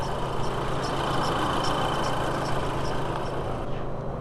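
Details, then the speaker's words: VW B6 Passat 2.0T idling after a serpentine belt replacement, with light rhythmic ticks about twice a second, slower than the pulleys turn; the timing belt area is suspected, not confirmed. "yeah that's coming from timing belt it's a lot slower it's a slower rhythmic noise than these pulleys are turning"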